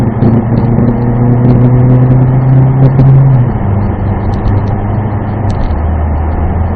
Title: 2016 Ford Focus making strange grinding noises with strong vibration upon acceleration - DPS6 DCT